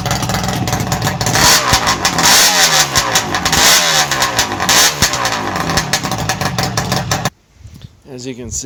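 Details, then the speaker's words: 1967 Bridgestone DT175 two-stroke on SR175 expansion chambers with no silencers: raspy, crackling bark that picks up sharply with each throttle blip and settles back; loud but normal running. "you can see, it's quite talkative with those expansion chambers on it."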